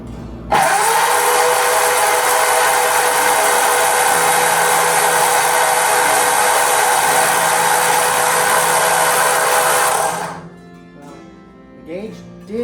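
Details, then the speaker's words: Rebuilt Ford flathead V8, first time turned with the starter, in neutral: a steady, even crank at about 200 beats a minute with no knocks or scrapes. Oil pressure rises to just under 30 psi as it turns over freely. "It runs. Well, it turns over. Yay. Now, let's see if we get some oil pressure."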